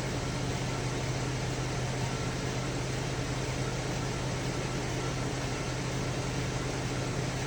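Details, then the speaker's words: 2010 Chevy Traverse with codes P0301, P0303, P0305 after rodent-chewed wiring repaired, idling, not yet warm: lumpy uneven low beat that stumbles now and then, engine misfire. "whatever's going on with this car I can clearly hear it's not right so I don't know if it do it when it when it when the car is warm so I want to see what when is going to start Miss fighting"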